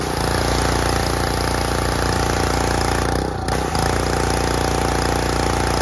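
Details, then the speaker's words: Excell XR2625 pressure washer after replacing a cracked, leaking pump with a new one, running with a 40-degree nozzle; a steady, even engine drone with light pump clatter and no misses, working well where it used to barely spray. "and that is how you fix a pressure washer in about 20 minutes so a brand new pump looks a little different who cares because it works like a champ"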